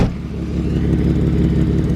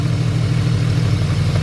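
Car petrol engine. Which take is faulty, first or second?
second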